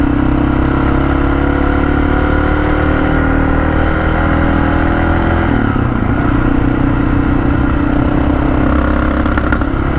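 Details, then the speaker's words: Honda XR650L, carburetor problem, owner suspects water in gas from tank condensation: loud steady single-cylinder drone under throttle dips and stumbles then recovers, fine at idle, suspected main-jet fuel draw; engine hesitation under load. "and at idle like this it feels fine like so i think it's when you really start to suck up out of the bottom of the bowl which is where the main jet would be"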